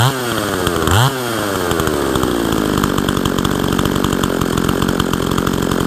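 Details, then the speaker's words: Husqvarna 162 SE chainsaw revived after sitting for years, muffler tampered with: two throttle blips, then a crisp, even two-stroke idle with no stumbling; runs well. "This is a pretty decent running saw. It runs really nicely."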